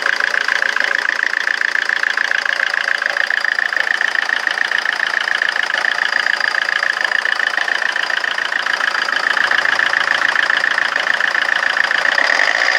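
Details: Rover 25 diesel at idle: clatter with a sharp, uneven tick three or four times a second, so the idle sounds rough and lumpy.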